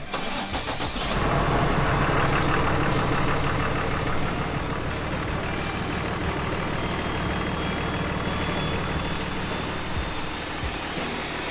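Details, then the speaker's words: 2015 Ford F-650 with a Cummins ISB6.7 and 150,000 miles, just after an EGR deep cleaning, starts and settles to a steady diesel rumble. A thin high whistle climbs as the turbo spools normally. "hear that high whistling sound that's the sound of the turbo kicking in that's probably a sound of this vehicle hasn't heard in about a year or so or at least not that good"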